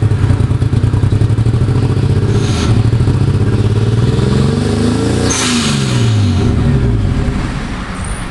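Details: Nissan 240SX S13 with RB25DET swap: revs up and down with rough, uneven pulsing and stumbling beat through the rise; engine misfire, cause unknown.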